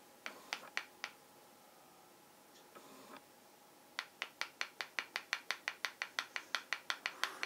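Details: Canon J20ax8B4 IRS broadcast lens: sharp little clicks, about two a second, as the loose focus ring is rocked back and forth; free play in the ring, owner unsure whether normal or needs repair.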